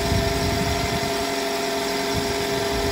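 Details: 2013–2018 Toyota RAV4 started after alternator replacement, now charging: steady, even idle hum, no knocks, ticks or squeals; running smoothly.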